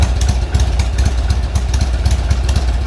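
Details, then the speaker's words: Old Harley-Davidson Sportster V-twin: deep lumpy idle with irregular beats around eighty a minute; owner is certain the air-fuel ratio is badly off; rough idle. "see in here the air fuel mixture on this thing like the air fuel ratio is completely out of balls it's that that is the issue"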